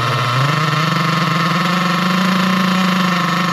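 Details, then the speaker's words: Nitro RC car engine with the low-speed needle screw turned clockwise (leaner) from a good setting, wheels spinning. It screams at a high pitch that climbs slightly then holds; revs hang high from the lean low-speed needle. "So, we'll start it up again now to a good sounding low speed needle and then I'm going to lean it in and um yeah, you'll hear the RPM's going really high and the wheels will start spinning."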